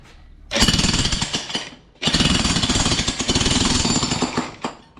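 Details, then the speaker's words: Hitachi jackhammer tested on old steel after repair (piston cleaned). Strong, crisp blows at about four per second with no stutter. Healthy, normal hammering. "you will see see this one how it should work it sounds very healthy you see"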